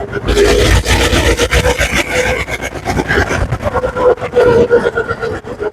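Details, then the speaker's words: GoPowerSports Lifan 212 single-cylinder engine after rejetting from 0.28 to 0.36 jets (previously too lean, now enough fuel), riding under load; clean rising roar over rough ride noise, no stumble or breakup; more bottom-end punch, normal acceleration. "Okay, it's got a ton more power and a whole lot more punch off the bottom end. And that's all about giving it enough gas."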